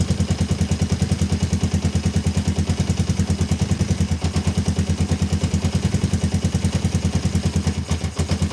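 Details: Kawasaki ER-5 twin, stood two to three years, previously dying at full throttle, first cold start after carburetor repair: low thump about three beats per second, pulses uneven, slightly lumpy idle; cause unconfirmed.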